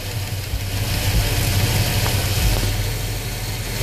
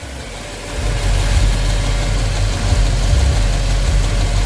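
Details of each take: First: 350 V8 in a truck at idle: lumpy idle with a light uneven ticking about three or four a second from loose rocker valve lash; after adjusting each rocker a quarter turn the tapping stopped. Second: V8 truck at idle after all valves were adjusted: smooth, deep, even idle with the earlier valve tapping gone; the valvetrain sounds quiet and healthy.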